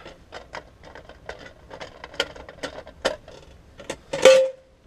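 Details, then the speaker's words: Heat pump outdoor unit with compressor common reconnected: quiet ticking, then one loud hard thump as the unit stops, brief tone dying away; condenser fan thump on shutdown returns. "on noise is back go figure right guys"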